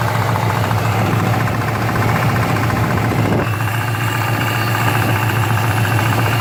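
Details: 2015 Paxton GT V8 idling with a steady low rumble and a faint, fairly regular knock riding over it; unknown knocking at idle.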